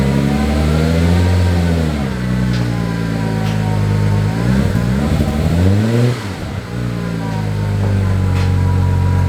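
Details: 2001 Audi S4 after repairing a fuel leak from a botched air-suspension install, fuel system reconnected: revs rise and fall cleanly with no stumble or misfire, no fuel leaks seen; slow start due to the fuel system having been disconnected.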